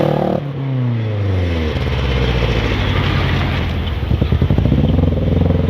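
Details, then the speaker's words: 1990 Nissan 240SX (Kintsugi) revving: note stumbles and stutters unevenly instead of pulling clean, idling high; misfire, diagnosed as faulty injector wires/plugs, IACV possibly lost. "definitely missing it's not having it not happy"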